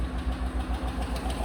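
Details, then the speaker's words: Fleet truck V8 with 111K miles at idle: light, quick, regular tick keeping pace with the engine from one unhappy lifter; no misfire registering yet, a collapsed lifter suspected. "So you can hear it's got one lifter that's not happy. It's not registering a misfire yet, but there's one lifter that is up in misfire now."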